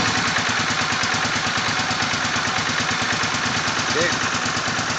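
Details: Suzuki VS800 V-twin motorcycle idling badly, with an uneven, lumpy, loping pulse instead of a steady firing beat.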